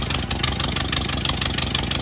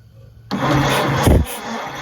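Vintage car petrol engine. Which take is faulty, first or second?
second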